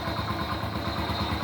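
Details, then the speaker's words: Honda Pop 100 after repair: quiet, even single-cylinder putter at about seven beats a second with no clatter; a quiet idle compared with before. "olha motorzinho ficou dormindo cara dormindo dormindo dormindo bem silenciosinha ó"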